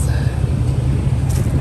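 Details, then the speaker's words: 2021 RAM 2500 Cummins diesel after battery replacement following a big freeze, started after preheat: steady low rumble with even beat, no misses, knocks or stumbles; normal idle. "all right new battery in kind of just fine sounds good"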